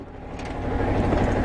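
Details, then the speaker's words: 1978 Yanmar YSB8 marine diesel, sat 10+ years in a flooded boat, first run in years, at lowest idle in forward gear: steady low chug firming slightly as the gear takes load; idles evenly with propeller turning, working fine. "Oh yeah. There you go. It's working in forward just fine."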